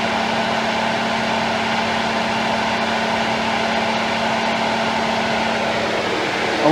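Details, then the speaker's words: 2013 Ford F-150, A/C on, high-speed fan triggered when high-side pressure exceeds 200 psi: steady low whine under fan rush; A/C compressor whining, possibly from overcharge, restriction or expansion valve. "all right just kicked on all right compressor is still [Music] whining so"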